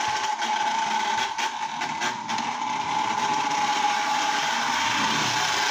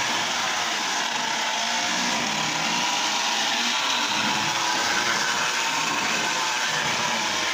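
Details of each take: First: Lionel Tie-Jector toy train car reassembled after brush refit, running again with body on: steady, fairly high electric whine with light quick ticking, likely from the nylon gears; owner thinks the gears can be quieted. Normal running. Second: Lionel Tie Jector toy train after repair running: steady, even high buzzing whir that never changes pitch; owner suspects oiled nylon gears are noisy and plans adding a little grease.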